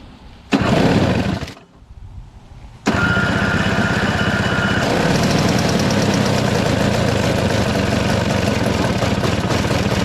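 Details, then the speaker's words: Single-stage two-stroke snow blower, started on fresh premix: fires after a couple of tries and settles into a steady buzzing run on choke; it runs only on choke, and with the choke partly off it speeds up, then bogs down. "see all right okay so it runs on only choke and once you take it off a little bit it'll kind of run faster but then it'll kind of bump down"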